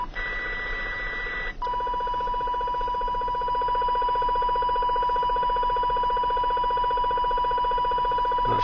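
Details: CB radio near a neighbor's house picking up a loud steady mid-pitched tone pulsing about four times a second, strongest on channel 29 with bleed onto 28 and 30; RF interference, owner suspects a plant grow light, unconfirmed.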